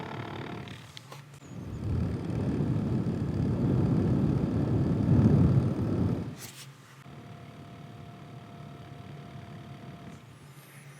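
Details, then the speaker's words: HP Spectre x360 15-ch011dx laptop, mic held right against it: rough rumbling whir swells for a few seconds then drops away; one cooling fan is worn, noisy and failing, needs replacement. "Basically what's wrong with this is that one of the fans has gone out, and actually this is my second. I own two of these and both have had the fan go out, so well, the fan gets noisy, but it's on its way out."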